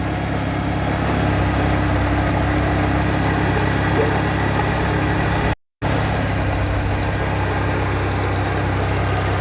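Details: VW Vento petrol engine idling with a constant low growl and faint hum from a bad pump bearing.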